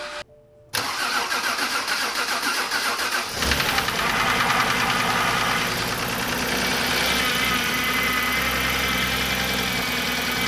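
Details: BMW 328i E90 first start after swapping in a good used N52 engine, coils installed and fuel pump fuse reinstalled: starter cranks a few seconds, then catches and settles to a steady, even idle with no knocking; normal start.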